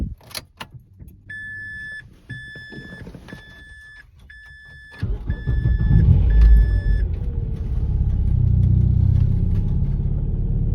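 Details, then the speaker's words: Manual Mazda 3 after replacing a nearly six-year-old dead battery; chime beeps, short crank, then the engine catches at once into a steady, even idle; cause was just a bad battery. "All right. Fortunately, just a bad battery this time."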